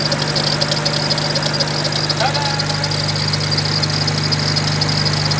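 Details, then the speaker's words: BMW E92 335i with used turbos, at idle: a constant high whirring with light rhythmic ticking from the belt area. Unknown which pulley; owner hopes it's not the alternator, and a vacuum leak is also present. Suspected pulley or bearing noise. "something is definitely making noise i don't know which pulley it is but once i take everything off i'll figure that out"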